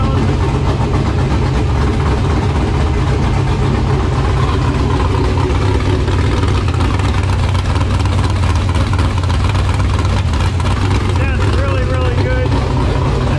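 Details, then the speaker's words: LQ9 V8 with Texas Speed MS4 cam on run stand, Holley Terminator X base tune: loud even idle with steady cam lope, no ticking or misses, valvetrain sounds good; owner thinks mixture slightly rich. "but uh it's idling it sounds really really good"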